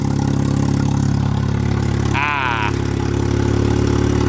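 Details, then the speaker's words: Honda Civic D16 single-cam engine with a compound-turbo setup changed back to the original eBay single-turbo kit, first start after the swap, no oil leak seen: steady, even idle with a smooth low rumble, a brief whistle midway, no hunting or misfire; normal idle. "Sound of a good old turbo single cam. Sweet, sounds good."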